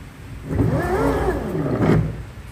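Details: Bajaj Chetak electric scooter rear drive motor before repair, running unloaded: the whir swells and falls with speed, carrying an uneven, harsh growl over the tone that is louder when ridden. The drive motor itself is faulty and was later replaced.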